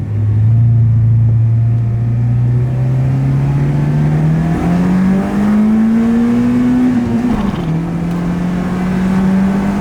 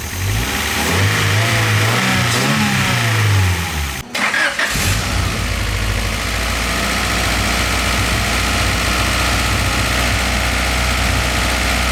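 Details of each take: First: Honda VTEC engine after a fire, rev through first gear: engine note climbs smoothly with no sudden change in tone at high revs; VTEC does not engage, cause unknown. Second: Car nicknamed Wago, running again after a fire and repairs including straightening an injector; cranks and catches after a brief stumble, then settles to a smooth, even, low-humming idle; runs normally.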